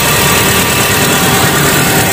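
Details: 2001 Hyundai Atoz GLS started after sitting two days: smooth, even idle with steady rhythm, no stumbles or misfire; engine running cleanly.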